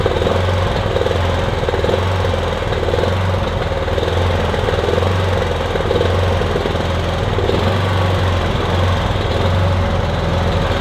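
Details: Kipor Sinemaster IG2600 digital inverter generator, just over 2 kW, stored in a garage for years, running on choke after spray was put in; fires unevenly with a lumpy, hunting beat instead of a steady drone; rough running.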